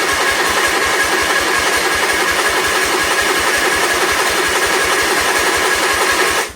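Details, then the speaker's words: 1976 Sears SS18 garden tractor, carburetor primed, half throttle, partial choke: starter cranks steadily at about six even compression pulses per second but never fires; crank no start, owner suspects no spark from gummed-up points. "I don't think it has spark, would be my guess. I could just check that, but... I'm guessing the points are gummed up."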